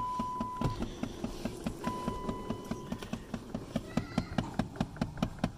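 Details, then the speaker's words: 2008 Dodge Avenger with key on and A/C on, engine not required: steady light ticking, two or three a second, behind the glove box from a stripped blend door/air recirculation actuator; fix is replacing the actuator. "Now, if every time you turn your key on, you hear this ticking noise. I mean, the car doesn't even have to be on. It's when you turn the AC on. You're gonna hear a ticking noise."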